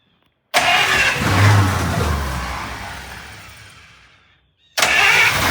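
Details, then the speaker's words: 1951 Buick near parts-car status being revived, choke propped slightly open; short starter whirr, engine catches with full even note and settles smoothly, normal start (usually fires right up). "It's uh This car usually fires right up."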